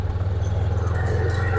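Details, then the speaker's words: Axis 500 4x4 UTV with the failed fuel pump relay bypassed by a hot wire, fuse and on/off switch as a temporary fix: engine runs with a steady low drone pulsing evenly at constant speed, no stumble or surge; normal running. "fuel pump comes on is the ultimate test all right that is music to my ears"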